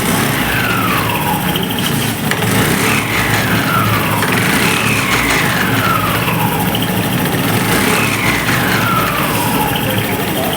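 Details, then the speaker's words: Honda Activa BS6 scooter with clutch cover opened: steady engine hum with a falling whine about every two seconds that comes and goes; mechanic rules out clutch, sees no gear rub marks, suspects the gearbox. "Friends ఇప్పుడైతే విన్నారు కదా sound నాకు ఇది clutch లోపల ఎక్కడ అనిపించట్లేదు ఒక్కొక్కసారి వస్తుంది ఒక్కొక్కసారి రావట్లేదు అన్నమాట"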